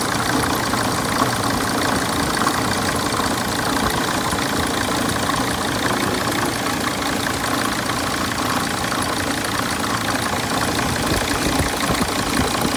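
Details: 2006 Sprinter diesel at idle: rough, persistent knock under the clatter that does not smooth out; cause of the knocking undetermined.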